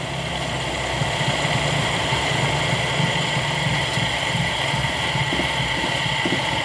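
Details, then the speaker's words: Toyota Kijang 5K carburetor petrol engine idling roughly with an uneven, lumpy low pulse; idle air screw judged too open by ear and turned in to get a stable, light, smooth idle. "kita lakukan penyetelan angin atau ID skru karena ini kan sepertinya dari suaranya kalau Pak to mendeteksi dari suaranya ini terlalu besar harus kita kecilkan untuk mencari suara yang stabil ringan dan halus"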